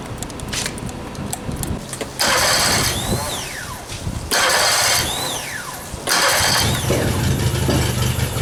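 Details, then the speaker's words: Yamaha F60 outboard brought in for diagnosis of an engine knock. Revved three times, a sharp metallic knock rises with each rev and is heard at the crankshaft near cylinders 3–4. Piston knock from a tight wrist pin. "Всем привет приехала на диагностику Yamaha f60 со стуком в двигателе"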